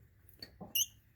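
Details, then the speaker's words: Winnebago RV on Workhorse chassis, brake pivot shaft worked by hand before regreasing: a couple of short high chirpy squeaks; shaft moves well, suspected dry pivot needing fresh grease. "at least i know that pivot shaft moves pretty well squeaking a little bit"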